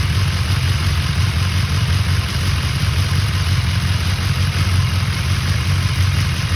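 Steady motorcycle idle with a faint light rattle riding over the low drone; sounds like a top-end rattle, cause unconfirmed.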